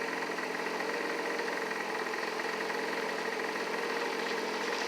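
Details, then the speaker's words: Hyosung SF50 two-stroke scooter just after roller replacement with makeshift wrong-size rollers, variator cover off: steady, high-pitched buzz with no dip or settling. Idle rpm is too high. "my idols do i yeah it's making my rpms too high right now so let's see here"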